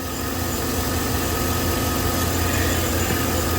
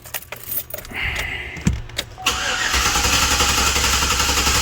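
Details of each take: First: 2012 Chevrolet Silverado 5.3L with codes P0300/P0301 (cylinder 1 misfire): at idle a cylinder drops out with an uneven stumble. The misfire moved with the plug, confirming oil-fouled spark plugs from an engine burning oil. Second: 2012 Chevrolet Silverado 5.3L V8 with P0300 random and P0301 cylinder 1 misfire codes, cranked in clear-flood mode: even steady beat about four pulses a second, not a compression or mechanical problem; normal cranking.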